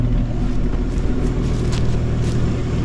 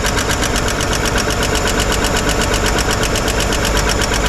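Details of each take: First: 1955 Chevy 210 revived after sitting for years, idle mixture adjusted, heard at the tailpipe: steady, even low exhaust burble with no misses or ticking, lifter noise gone; normal, smooth idle. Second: 1955 Chevrolet 210 four-door revived after sitting many years, valve cover off while running: fast even ticking over the idle from the rear hydraulic lifter, last one still not getting oil up top.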